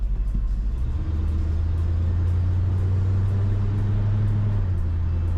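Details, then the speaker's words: 1990 Ford F250, about 190,000 miles, automatic transmission, on a drive during restoration after thermostat and coolant work: engine drone steps cleanly to a new pitch with no flare or clunk; smoothest shift yet, healthy. "All right, I'm going to just hold it manually now, but that was the smoothest I have ever like felt and heard it shift."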